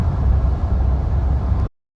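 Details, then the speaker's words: Truck after fitting new Maxxis Razr AT tires, replacing a different, louder brand that caused vibration: only a low, even rumble under the cab with no tire roar, hum or thumping. The new tires are much quieter and ride smoother. "I got the Max's ATL trains mounted and it's shocking how much quieter these tires are and how much smoother the truck rides with them"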